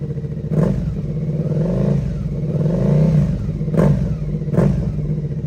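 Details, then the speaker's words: Rebuilt Suzuki SV650 V-twin, aftermarket exhaust: smooth deep burble through clean throttle blips, even firing; owner hears little difference but thinks it too loud, prefers dB killer fitted. "உண்மையில் , DP killer இருந்தாலும் இல்லாவிட்டாலும் எனக்குப் பெரிய வித்தியாசம் எதுவும் தெரியவில்லை , ஆனால் அது இல்லாமலும் கேட்க நன்றாக இருக்கிறது. ஆனால் அது 650 என்பதால் மிகவும் சத்தமாக இருக்கும், எனவே அதை உள்ளேயே வைத்திருப்பது நல்லது என்று நினைக்கிறேன்;"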